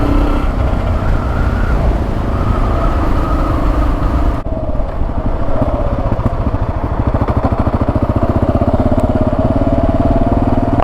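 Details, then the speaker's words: Kawasaki KLR 650 single riding under throttle: thumping engine with loose buzzing rattle riding on the beat, busier with revs; sump guard rattling. "You can hear that sun guard. She's quite annoying, but she runs. She pulls like an absolute train."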